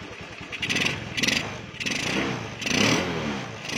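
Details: Honda Beat with a stock engine and a new PE24 carburetor. Throttle blips rise and fall with a soft, blubbery edge and black smoke at high rpm. Running rich; the main jet needs changing.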